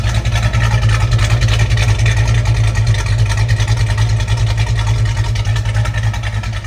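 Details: 1971 Plymouth GTX with high-performance exhaust manifolds: deep, even V8 burble at idle, steady lopey pulses with no misses or ticks; loud, rowdy exhaust, engine running healthy.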